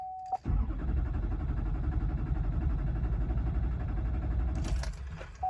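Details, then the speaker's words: 2006 GMC Duramax diesel with code P0087 (low fuel rail pressure) and hard starts in 12-degree cold cranks quickly and steadily for about four seconds but never catches. The cause is still under diagnosis; crank, no start. "You can see I'm having issues. It's not starting."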